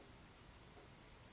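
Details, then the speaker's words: Atomos Ninja V recorder on a GH5, recording about six minutes, fan area near 93.7 degrees: a steady, even airy hiss throughout as the cooling fan runs because the unit is hot; constant cooling fan noise from overheating. "so you can definitely feel some heat this thing is recording and you can definitely hear the fan"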